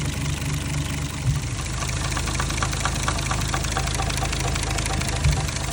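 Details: Toyota MK3 Supra with 1JZ-GTE, warm idle: light, irregular intermittent ticking knock, loudest via stethoscope at cam cap number one exhaust; only occurs warm and fades with rpm; cause unknown.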